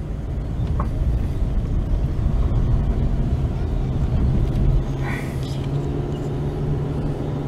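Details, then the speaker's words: Dodge Avenger driving on the road after replacing the bad right (passenger) wheel hub with the driver-side one: steady low road rumble, no growl or rhythmic hum rising with speed; quiet wheel bearings. "As you can hear, no road noise. I mean, no wheel hub noise. So I finally fixed the wheel hub."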